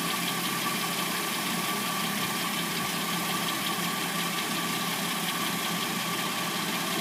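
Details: 2006-09 Hyundai Sonata replacement engine idling warm with uneven ticking clatter and faint steady whine; timing chain noise heard, abnormal noise when warmed up.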